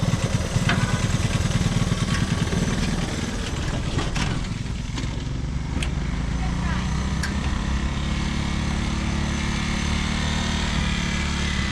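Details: Honda ATC185 three-wheeler single-cylinder after carburetor mixture screw set 2.5 turns out; fairly steady idle after a brief blip, no misses or hunting, normal idle; minor fuel leak noted.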